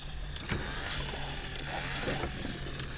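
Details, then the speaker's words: 1986 BoToy Mr. T robot being refurbished: a thin, uneven, sluggish motor whir with scattered clicks and ticks and the eye lights barely lit; weak motor from bad batteries, with direct power used to compare. "don't see any smoke the eyes lit up here barely okay in case those batteries are just not any good it's supposed to be good some direct power here definitely the batteries we've"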